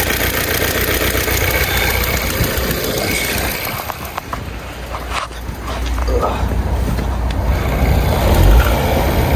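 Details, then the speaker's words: Volvo engine idling cold in neutral, before warming up: quick loosely regular tick about four per second, resembling rod knock but an exhaust manifold leak from factory manifold studs breaking; turbo must be removed to fix. "Okay. You might think that's rod knock. It's not. It's an exhaust leak."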